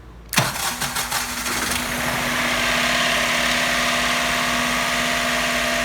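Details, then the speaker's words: Rare project car that sat many years, started with remote starter switch bypassing the computer: a few rough cranking bursts, then catches and settles into a steady, slightly noisy idle; starts and runs fine. "oh boy that was not expected you know the engine's a little noisy but that is to be expected after sitting many years"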